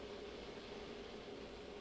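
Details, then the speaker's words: Treadmill running belt tracking too far left, before adjustment; steady hiss with faint thin tone as the belt edge rubs against the inside of the side plastic trim. Fixed by half-turn adjustments of the tracking bolt, after which it goes quieter. "also if you listen to it you can hear the side of the belt is rubbing against the inside of this this part here"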